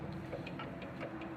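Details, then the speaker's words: Toro zero-turn mower deck with a seized spindle, turned by hand during teardown; light, uneven ticks about five times a second as it catches: worn spindle bearing. "Oh yeah, it is. Yeah, bearing is screwed. So that's the problem right there."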